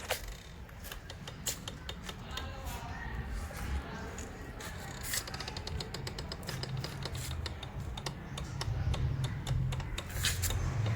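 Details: 2019 Benelli TRK 502 rear wheel rolled after chain lube, uneven ticking about three clicks a second; chain not tight or dry; worn rear wheel bearing, later replaced with new bearings.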